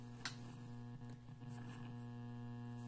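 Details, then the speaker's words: Zenith 6-S-229 vacuum tube radio powered up on a current-limiting bulb/variac at about 80 volts, drawing around 180 mA: steady, constant-pitch low mains hum from failing electrolytic filter capacitors. "that that's your electrolytic capacity is homie right now if this was getting full Voltage without a common limiting light bulb which I've got up there at home would be doing damage to Irreplaceable parts of the radio"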